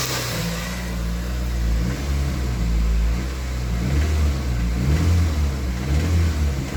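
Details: Toyota MR2 Mk3 Roadster, laid up for years, running after stale fuel was drained, fresh fuel added and a new battery fitted: engine revving with a light metallic rattle between about 2200 and 2500 rpm; source not yet diagnosed.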